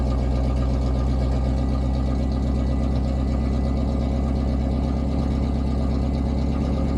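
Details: Cold start of a 1988 Pontiac Firebird V8 (shorty headers, Edelbrock 1406 carb, Edelbrock Performer intake) after a long time parked, not pre-warmed; replacement gauge cluster so mileage unknown. Steady, even low rumble with no misses, knocks or ticks; normal cold idle.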